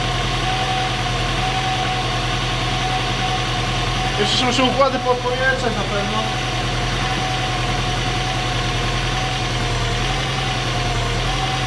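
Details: Seat Cordoba 1.6 first start after head gasket replacement; steady even idle with smooth low hum, no knocks or misses, normal idle.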